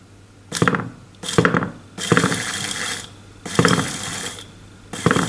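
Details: New, not-yet-installed electric power steering motor (Avanza/Xenia/Ayla type, for a Suzuki Katana DX conversion) bench-tested directly on a battery, run both directions: short smooth whirring bursts with clean starts and stops; motor normal.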